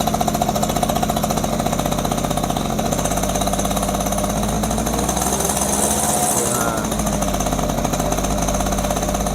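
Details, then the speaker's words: Yamaha F1ZR two-stroke just rebuilt (new conrod, crank bearings, crankcase gasket) with carburetor fitted, first start, oil doubled; fast even crackle holding steady idle, no misses or knocks, engine sounds smooth; normal idle. "Halus ya mesinnya. Halus tuh."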